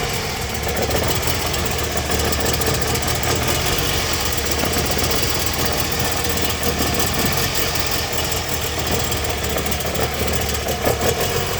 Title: Троит двигатель 2AZ-FE, Toyota Harrier, плавают обороты, что-то попало в абсорбер